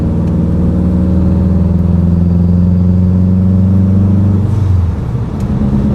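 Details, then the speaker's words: Subaru WRX with a fully built engine, timing corrected, blow-off valve fitted. Logged 1st–4th gear pull in normal driving, out of boost. Clean rising engine note with smooth shifts and no misfire or knock: normal acceleration. "This thing sounds so good with the tile BOV on it. Dude, I can't believe I built this."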